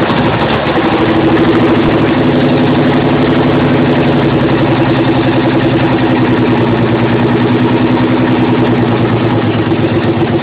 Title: 300zx running on 4-5 cylinders due to a bad injectors and old clips